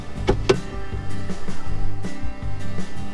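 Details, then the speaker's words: Power Pole Blade motherboard at power-on: short run of low electronic chirps and tones, then a steady low hum; normal sound, and when it's absent the board is bad, not the pump. "so if you only have one unit and it's not making the noise that it normally makes that to do to do to do when you turn the power on then it's bad motherboard bad pump's fine"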